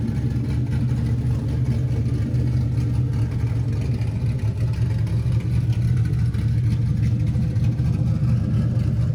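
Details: LS-swapped Camaro after first-drive problem was diagnosed and fixed, new 3-inch X-pipe exhaust fitted without mufflers: deep, even V8 rumble pulling smoothly under load with no knocks, misses or rattles; healthy engine, clean exhaust note, sounds much better.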